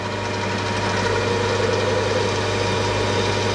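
Steady motor hum under an even cutting hiss on a lathe, with no squeal or ringing chatter.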